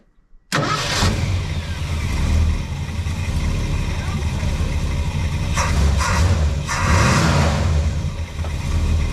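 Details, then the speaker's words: 1975 Ford Super Cab with a 460 V8, cold, after the solenoid-less starter motor was replaced because the old one cranked weakly when hot: brisk, even cranking, then it catches into a slightly rough idle (needs a tune-up); it cranks much better. "Well, I would say that is very much better. It cranks a lot better."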